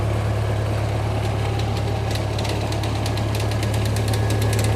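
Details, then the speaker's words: International 184 tractor idling after sitting outside a while: a steady low idle with a light chatter about three times a second, likely an access panel rattling against the frame; the engine otherwise runs smooth. "there's some vibrations that little chatter in your hearing that is like from a maybe the access panel kind of rattling against the frame of it"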